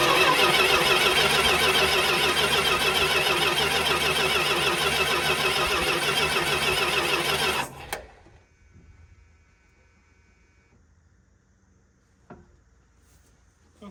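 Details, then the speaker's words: Abandoned 1979 Chrysler Cordoba, 318 V8 with automatic transmission, long left sitting in a field. It cranks steadily and evenly at about three strokes a second for eight seconds but does not start; compression sounds even and not terrible. Spark not yet checked. "so you know what that really didn't sound terrible so uh I'm gonna do a quick lazy way of checking for spark and uh depression didn't sound awful"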